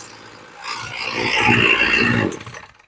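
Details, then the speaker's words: Snapper string trimmer, a long-shelved shop scrap, after its aftermarket carb was replaced with a ZAMA C1U-H60 and the low and high needles adjusted, revs cleanly to a high buzzy pitch and drops back smoothly without stumbling; sounds pretty good. "There you go, she sounds pretty good."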